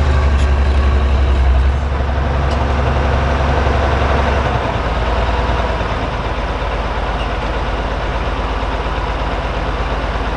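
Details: Oliver 1550 diesel tractor (about 54 hp) pulling a John Deere BW disk about seven to eight inches deep, running clean now that whatever was in the fuel system has cleared; a deep, even drone with regular firing and no misses or stumbles.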